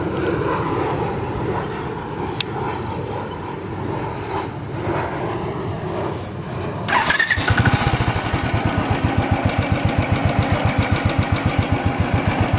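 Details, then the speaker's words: Royal Enfield at about 1,487 km with a new part fitted: crisp, regular ticking at idle. Tappet noise from loose rocker clearance, with rocker arm adjustment still to be done. "see this is the noise I'm still getting some noise I'm not worried about it"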